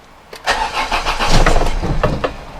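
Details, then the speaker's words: Volvo 480 after CEM replacement and fuel filter pipe repair, fuel pump audible: starter churns about two seconds with feeble firing and never catches, fuel starvation while fuel works through. "let's try starting her up again definitely fuel starvation"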